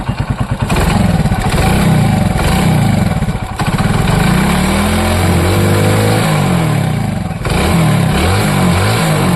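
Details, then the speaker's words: Hero Splendor motorcycle after timing chain noise repair: engine picks up cleanly through several blips and settles back evenly, with no rattle or chain slap over the exhaust; the chain noise is gone and it runs sweetly. "और अब, बिल्कुल। मधुर ध्वनि हो रहा है।"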